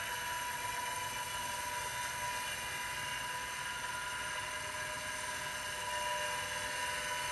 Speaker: Well, now we're at 2.5 amps. These bearings do not sound happy.